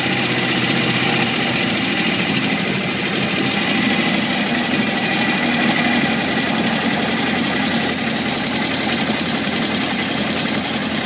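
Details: 1978 Honda CB750F: a loose, uneven metallic rattle from the bottom end over a steady idle, after metal shavings in the oil pan and low warm-idle oil pressure led to the engine shutting off; owner suspects crankshaft bearings.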